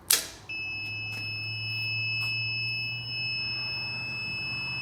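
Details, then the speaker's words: Unprogrammed Fardriver controllers with Bluetooth modules on an electric go-kart (QS motors, Headway cells) at power-on: a click, then steady incessant high-pitched beeping until autolearn is done. "controllers have not yet been programmed and because the Bluetooth modules are there I should be able to connect to it and program those in Auto learn all that I heard that it beeps incessantly until you do so"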